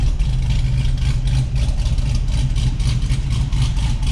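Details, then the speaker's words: 2006 Cadillac CTS-V V8 with aftermarket twin-disc clutch that won't disengage, before shimming the slave cylinder: deep strong V8 burble holding steady at low revs with even firing and no knocks or ticks. "It's a good sounding Cadillac."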